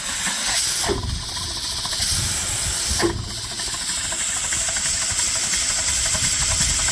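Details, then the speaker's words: Dake square-piston steam engine running on compressed air, capstan/windlass drive: loud hissing exhaust chuffs over steady run with sharp air bursts; runs smoothly, including in reverse, but uses much air. "But that doesn't sound like a model T. It's an air hog though."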